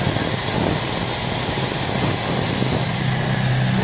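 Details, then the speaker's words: Angle grinder with a Modern M-2300B stator combined with a Maktec MT90 and new brushes, after correcting the rotation to counter-clockwise: a steady, fast, high-pitched whir with no rubbing or crackle; running smooth. "Oke Mantap Deni enggak ada gesekan-gesekan mantaplah"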